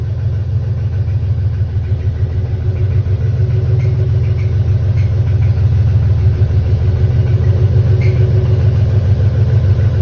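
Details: BMW M52B28 engine running: a heavy low rumble with a steady deep knock about three times a second, like a bottom-end bearing. Owner suspects a spun bearing; this engine knock is not confirmed.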